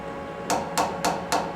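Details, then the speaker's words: Knock test on a one-inch boring bar at long overhang, four-to-one stick-out: five sharp metallic taps ringing at mid-high pitch; higher pitch signals chatter risk. "basically chatter is not your friend on basically every machining operation that you do it's going to be a constant foe in your machining career"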